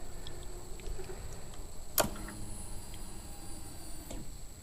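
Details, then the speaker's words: 1997 Harley-Davidson Road King after Magneti Marelli in-tank fuel pump and filter replacement, ignition on: click then a very quiet steady hum for about two seconds, stopping cleanly, a normal pump prime. "So it's time now to turn on the ignition, and let's listen for the fuel pump and see how she does. Very quiet."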